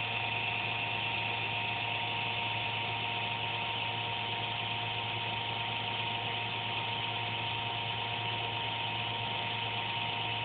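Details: Computer under a desk makes an intermittent buzz randomly, once or twice a day, with speed and performance unaffected; steady, even buzz with fixed tones over a soft whoosh; owner suspects a fan, unsure.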